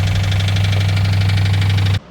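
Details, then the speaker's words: 2004 Ford Crown Victoria 4.6L 2V before timing chain repair: heavy drone with quick steady knock at idle; suspected cause a torn timing chain tensioner gasket leaking so tensioner could not hold oil pressure. "What we ended up finding was the timing chain tensioner gasket had torn and was leaking in a different spot. So therefore, it wouldn't have been able to hold the oil pressure. We feel like that was the cause of this noise."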